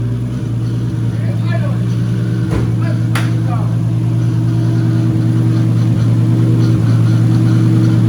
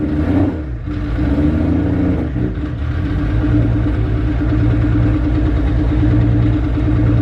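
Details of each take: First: 240 with newly installed stock 1GZ engine, restarted after an initial misfire cleared (owner thinks old fuel flushed out): steady even low idle hum with smooth regular beat, no stumble or ticking; sounds healthy. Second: Nissan 240 with a freshly swapped 1J engine, first start the day after fixing a missed ground wire: lumpy, uneven chuffing with no smooth idle, misfiring badly; owner unsure of cause, later thinks old fuel flushing through.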